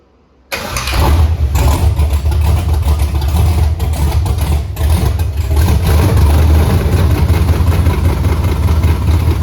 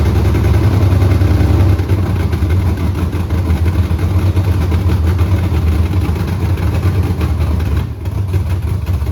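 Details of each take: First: Pontiac Tempest with swapped 6.0L V8 and 4L80E, first start after fixing fuel leaks: catches on the first crank, then a steady, even, deep idle with no misses, knocks or leaks. Normal start and idle. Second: 6.0L V8 with 4L80E swapped into a Pontiac Tempest, carbureted, first start, straight headers with no mufflers: loud deep lumpy uneven idle running super rich; owner suspects false O2 sensor readings from the open headers.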